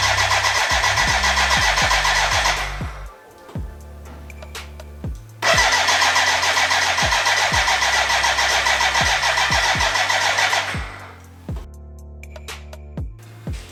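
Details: BMW K100 café racer build, first start attempt with fuel in and oil pressure confirmed: starter spins the engine in two long bursts but never catches; no fuel getting through, crank no start.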